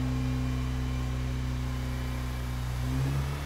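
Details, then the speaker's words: Mazda RX-8 rotary engine right after a one-day full rebuild at a rotary specialist (previously failed rolling road, poor health, compression test and teardown); smooth even hum climbing cleanly on light revs, no knocks, assembly lube smoking off; healthy rev. "is so smooth [Music] so smooth oh listen to that that is lovely"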